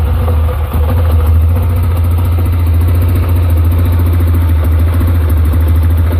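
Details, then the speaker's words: 2007 Yamaha Rhino 660 single-cylinder idling unevenly and lumpy, running rich because the overly long choke cable keeps the choke plunger from seating; it runs smoothly once the choke fully closes. "I'm going to put it back down, and you'll see it starts to run rough."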